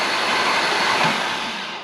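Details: Engine cranking after a new timing chain tensioner had air cycled out of it: a smooth, even whirring spin that winds down, with no rattle or chain slap; normal cranking.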